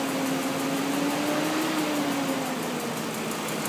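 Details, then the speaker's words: 2001 BMW 540 (E39) V8 at idle: faint, quick light tick about three times a second over the hum, seeming to come from the passenger side of the block; engine ticking noise, cause not yet traced. "Here's my new 2001 BMW 540. It's got a clicking noise, so I'm trying to get some video."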